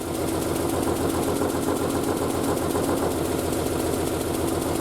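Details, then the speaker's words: Triumph Spitfire four-cylinder after a single-carb conversion, warm and off the choke about a minute and a half after starting, crankcase breather just rerouted from the fuel return; steady, even idle with a low regular beat, nothing rough or missing, running okay. "She's off the choke already. She's only been running for maybe a minute and a half. So straight off the choke. That's always nice to see. Appears to be running okay."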